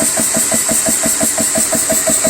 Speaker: And I guess it's just a little bit off level because just sitting on that, it does vibrate a little bit, but it doesn't shake as much.